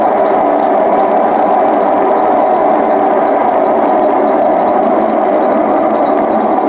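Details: Hotpoint WM74 washing machine on full spin: loud, steady rumbling roar like a passing train from worn drum bearings, which need changing again.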